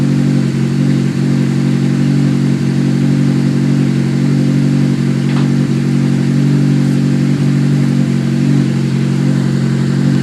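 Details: Honda S2000 cold start, petrol engine at raised cold idle: faint, irregular ticking and clatter over the steady drone; unidentified noise, owner asks what it is.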